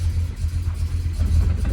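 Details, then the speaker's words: Supercharged 1961 Studebaker Hawk after 5½ years in pieces, first drive in gear: deep smooth engine rumble pulling evenly under light throttle, no knocks or rattles; sounds good. "will it start yes now will it go into a gear and this thing sounds good"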